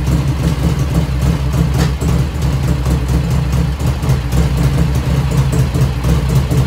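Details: 1985 FXR started cold at about 49°F after a float setting, on a battery charger: a steady, even V-twin idle with a deep, regular lope, running cleanly. There is no lifter ticking yet; it begins as the oil warms.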